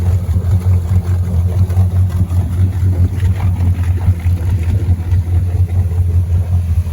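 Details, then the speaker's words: 2018 Crownline 264 CR inboard V8, low but unknown hours, idling with the engine cover open, making good water, still in regular use. Smooth, even low rumble at steady idle with no knocks or misses; normal idle. "She runs well because they're still using the boat."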